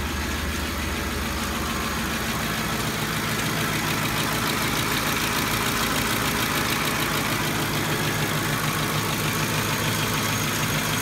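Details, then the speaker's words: Ford 5.4L 3V V8 at idle. A startup rattle from blown-out tensioners quiets, then a constant sharp tapping of about three a second remains. Suspected roller followers or lash adjusters; teardown showed heavy sludge and broken guides. "now it has a classic startup rattle noise from the tensioners being blown out after that quiets up a bit a bit but then it has a constant and um I'm thinking this one is Roller followers or more lash adjusters so let's start it and listen"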